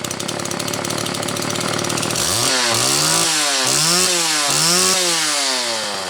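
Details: Homelite XL two-stroke chainsaw, on its final test run after the Zama C2S-H5A carburetor inlet needle spring was correctly placed: it blips up and drops back cleanly several times, revving crisply and returning steadily to idle; healthy and responsive.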